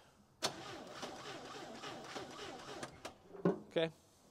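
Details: 1963–1965 International Scout 80 barn find sitting over 10 years, power at coil, spark unknown, points likely dirty; starter churns in slow uneven pulses about three a second, engine never fires; crank-no-start.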